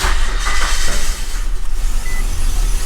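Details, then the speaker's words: Nissan Xterra with an idle growing rougher over time that dies when given gas, spark plugs and original fuel filter suspected: low idle that lopes and surges unevenly instead of holding steady; rough idle, cause not yet found. "can hear it's already a rough idle. And then we'll give her some gas."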